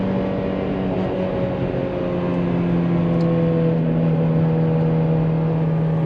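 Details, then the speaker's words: Toyota 2ZZ engine in third gear at about 50–55 mph, around 5,000 rpm, checked for timing chain noise: steady even high-rev note over road noise, no knocking or ticking; possible rattle maybe just exhaust harmonic, engine sounds healthy. "Because all I'm hearing currently is just a really happy 2ZZ that likes to run up into those high revs."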